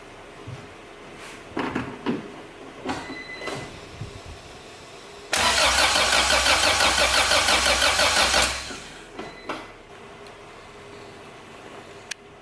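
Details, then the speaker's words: Acura Integra crank-no-start: starter cranks about three seconds with even compression beats, never fires; fuel pump primes, but test light shows no spark at the plugs or ignition coil. "all right so I got no spark at the plugs and I got no spark at the ignition"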